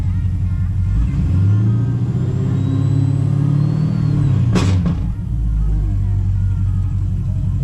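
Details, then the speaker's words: Pontiac G8 GT V8 idling after DIY oil change with Mobil 1: deep even rumble, no knocks or ticks; owner listening for collapsing lifter or low oil, says so far it's running right. "I know what to listen for. Well, I kind of know what to listen for. So I mean, so far it's running right."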